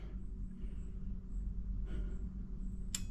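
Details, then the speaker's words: Kenwood amplifier powering on during a test of a Marantz 6100 turntable: quiet background, then one crisp relay click with no hum afterward, since the grounding U connector is hooked up; normal clean power-on. "There's the relay. No hum on there either, because that's the grounding plug."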